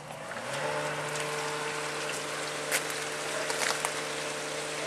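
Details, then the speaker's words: Whisper Flow variable-speed pool pump on speed two of four: motor spins up in half a second then steady low hum with soft hiss from the motor cooling fan, not the magnet motor; quiet, normal running. "that's the second speed sounds like a small fan that's actually what you're hearing you're not hearing the magnet motor moving you're actually hearing the fan cooling the motor as it gets faster needs more fan"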